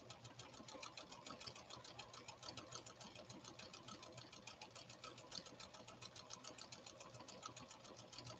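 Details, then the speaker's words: Late-1980s–1990s Pfaff Creative 1471 sewing machine after repair, stitching with quick even needle ticking about three and a half stitches a second over a light motor hum; runs smoothly, normal running. "s one a go and i won't turn on any music we'll just listen to this model 1471 run it's running so beautifully"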